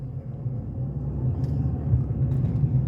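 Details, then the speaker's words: Ford Fusion driving after tie rod replacement, still needing an alignment: a steady low rumble under the road noise that sounds like a bad wheel bearing, unconfirmed. "now this thing sounds like it has a bad wheel bearing"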